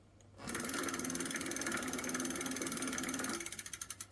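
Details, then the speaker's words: Electric bike hub motor revved up: fast regular chattering rattle about four per second, fading as it slows; hub opened, stripped plastic planetary gear teeth found. "it makes a rattling noise apparently it is something to do with either the gears inside or the bearing and i'm gonna open the motor hub and see what's going on"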